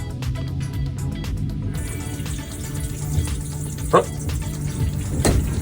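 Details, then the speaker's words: 2021 Coachmen NOVA 20C Li3 campervan, one month old: turning the light on makes the small water pump pulse on and off, quick even thumps about six a second — not supposed to happen. "But anyways, turning the light on, a little water pump going boom, boom, boom, boom, boom, boom, boom."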